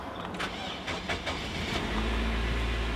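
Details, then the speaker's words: Flood-damaged car with 54,000 miles: uneven starter churning about two seconds, then catches into a rough low idle with white smoke, possibly water from exhaust, not confirmed in engine; check engine light on. "dang a little bit of white smoke but water could have just went in there from the exhaust but not saying it's in the engine"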